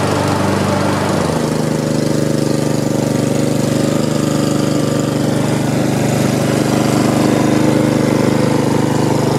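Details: Almost-new Honda HRX217 mower under stress test after oil-leak repair: small engine settles into an even, steady beat with no misses or rattles, running smoothly under load; healthy.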